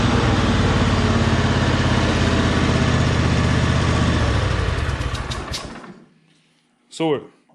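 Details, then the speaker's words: John Deere G100 garden tractor after rocker arm, pushrod and valve spring repair: small single-cylinder holds steady, even idle with regular beat, then shuts off cleanly; now runs smooth. "good now runs pretty smooth and i have about 700 total into this mower"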